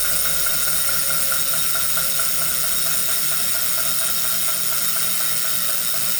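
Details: Brand new Wahoo Kickr Core smart trainer: steady high whirring hum with a light repeated click/knock about twice a second.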